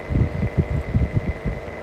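Steady motor hum with a deep throbbing pulse about six times a second riding on it, typical of a worn fan motor bearing.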